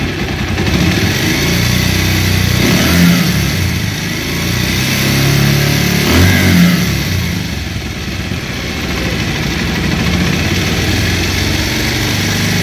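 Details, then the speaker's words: Bajaj Pulsar motorcycle, about 2018 model, valves, timing chain and balancer already replaced: metallic rattle over the engine that grows with revs; worn cylinder/piston plus weight (balancer) bearing noise, new cylinder fitted. "আর আপনারা যে সাউন্ডে শুনলেন, এখানে দুইটি সাউন্ড ছিল, একটা হলো সিলিন্ডার, আরেকটি হলো ওয়েট পেনিয়ামের।"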